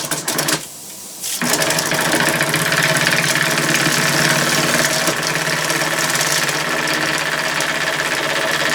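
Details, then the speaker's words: Small oscillating steam engine built in the shop, first run on steam from a propane-fired boiler; brief hiss then quick even chuffing about 3.5 per second, settling smoothly; normal running. "there'll be water all over the place and it'll be spitting like crazy to start with then it'll settle down and hopefully run smoothly"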